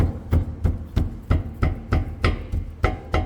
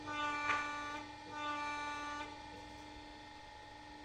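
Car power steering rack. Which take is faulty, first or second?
first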